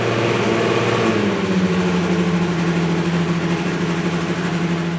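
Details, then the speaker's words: Ferrari 308 GTB-i with swapped turbocharged Honda K24 four-cylinder on Haltech Nexus R5 ECU, first startup: starts at a raised fast idle that clicks down and settles lower within seconds; high idle at first start. "The car starts with a very high idle. It takes Andrew just a moment to get it situated and bring the idle down."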